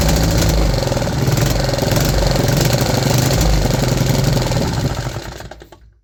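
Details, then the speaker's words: 3D-printed 125cc four-stroke engine at a top-RPM run of about 4000 rpm with fixed 10-degree ignition timing: rapid, sharp, even firing with no misfires, sounding like it is on a rev limiter, then a clean shutoff. Normal. "And this thing sounds amazing. It literally sounds like it's hitting a rev limiter."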